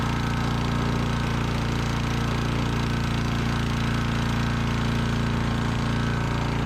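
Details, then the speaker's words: Sears Eager One lawnmower, Tecumseh single-cylinder, after makeshift connecting-rod knock repair with beer-can metal, throttle halfway: steady fast even firing beat with no knock underneath; normal running. "this point, is it that old nasty gas? It ain't that old. Sounds like we got rid of that knock."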